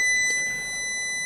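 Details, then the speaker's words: Amstrad CPC 464 main board: multimeter continuity test on a RAM chip getting very hot gives a solid unbroken beep, showing a dead short in that RAM; chip to be desoldered and replaced. "we got a dead shot yeah so that's probably why that rum is getting nice and toasty and short and it's just killing the date a bit"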